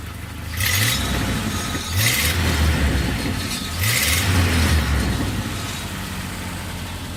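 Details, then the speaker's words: 1997 Jeep Wrangler 2.5 four-cylinder with 251,000 miles, old exhaust before replacement: three quick revs with a rough, raspy rumble that swells and fades; the old exhaust sounds tired and loud. "Show you what it sounds like now. Not the greatest sound, but you expect."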